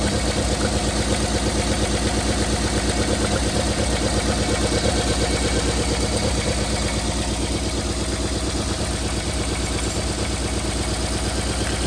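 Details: 1990 Toyota Corolla LE sedan, 4A-FE petrol engine idling with uneven, lumpy beat and repeating stumble: misfire caused by blown head gasket.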